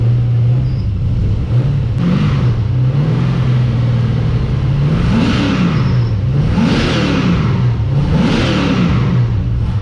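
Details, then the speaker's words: LS1 V8 first fired up in an XG ute with a better carby and a custom-made exhaust; loud idle with quick throttle blips, revs rise and fall cleanly with no knocking or rattles; normal running. "me gave it that's loud that's awesome that's what you want you want quite an idol yeah loud up top"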